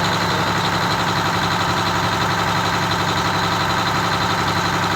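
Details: Detroit Diesel 6V92TA in a Wanderlodge bus conversion with big air leaks: fast, even diesel beat at a crazy-high idle, guessed about 750 rpm before being set down to about 600.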